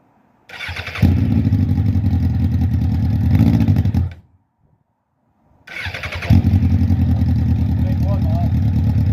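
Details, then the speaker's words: Suzuki Bandit 1200 SK4 after carburetor cleaning, started cold: catches, runs rough and dies, restarts and stumbles. It still bogs when the throttle is opened; warming it up is planned. Bogging on acceleration. "unfortunately guys it still seems to be bogging down when you try and accelerate we're going to heat it up and see what happens"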